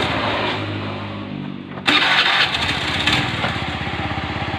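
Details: Honda Beat FI after repair with original block and piston kit, following worn crankshaft bearings: the starter whirs, the engine catches at once and settles into an even idle with steady firing; normal start and idle.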